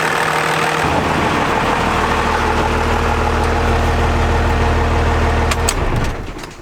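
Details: Diesel truck first start after installing a compound turbo system, new turbo paint lightly smoking: steady even idle with a deep smooth beat, no knocks or misses before shutdown; sounds healthy.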